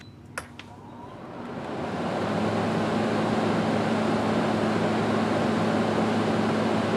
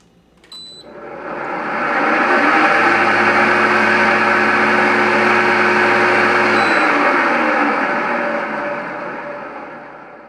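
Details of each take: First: Kenmore window A/C after replacing the fan motor, which had a bad bearing, reassembled and set in the window. The fan spins up to a soft, steady hum with no rattle or bearing growl; much quieter than before. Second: Kenmore window air conditioner with a bad fan motor bearing, before motor replacement: spins up into a loud, rough whirring drone with a steady hum underneath, then winds down.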